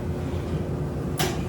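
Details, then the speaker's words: Speed Queen commercial dryer after replacing the drive motor, which had failed to run before; a low, even rumble from the turning drum with no squeal or grinding, just one brief knock, running normally. "can hear the motor turning everything's fine"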